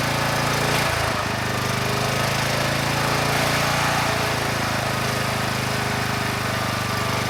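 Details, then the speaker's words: Kubota A5000-3-120-Y 5000 W generator, previously seized engine freed, carburetor cleaned: loud steady single-cylinder drone holding one high speed; making AC and DC power but governor unresponsive, not closing throttle. "are things considered this is doing pretty well the engine it sounds good the carburetor is running the engine very well and we have power both on the AC side and the DC side but that Governor it's not responding at all"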